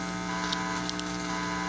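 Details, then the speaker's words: Amplifier driving reused speakers from a broken sound system: steady low buzzy hum with nothing playing, heard in Bluetooth and auxiliary modes, while radio mode plays clean. "el que estoy filmando y en modo Bluetooth se escucha ese zumbido es un poco molesto Y también se escucha en el modo auxiliar acá"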